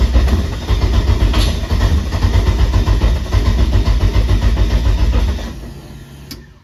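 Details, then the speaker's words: Eagle Talon with SRT4/Eclipse swap on MegaSquirt, first-fire attempt, coil packs firing, timing set to 210, fuel very high, AN4 to -6 line transition; uneven lumpy firing about 3-4 pulses a second, stumbles and fades instead of idling, owner suspects transition trouble. "I have the uh timing set to 210 and this is my fuel just really high I think it's having trouble transitioning but listen to this"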